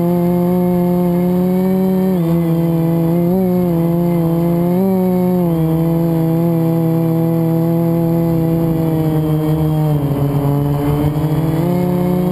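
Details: FPV quad flown with a bad motor bearing, before it was oiled and replaced with a spare; steady buzzing motor whine bending with throttle, faint roughness; quad twisted on full throttle; worn motor bearing.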